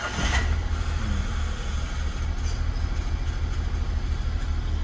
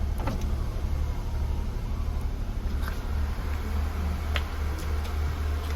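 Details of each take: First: Nissan Mark petrol engine idling rough with an uneven, lumpy low throb; oil warning light on or flickering, oil nearly run out. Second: Oil-consuming engine run out of oil, now refilled with about 3.5 L plus new oil and air filters: steady, even low idle hum, no knocking or ticking, one stray click; normal, though an oil seep underneath remains.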